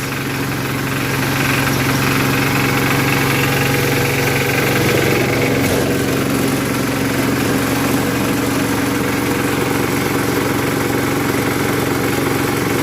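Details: 1981 Case 210 garden tractor, first start of the season after storage since September with battery removed: steady, even low idle with a smooth unbroken rumble, no knocks or misses; normal idle.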